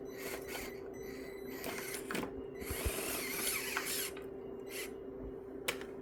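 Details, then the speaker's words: Meus MB18 RC crawler with new Injora 180 Pro 48T motor and aluminum gearbox, low-range steel gears 40.3:1, driving under load: thin steady whir, constant drivetrain tone, rough ticks; gearbox noise of unknown cause, something then broke. "Now that I've been driving it, you can hear a little bit of that noise. I'm not sure what it is."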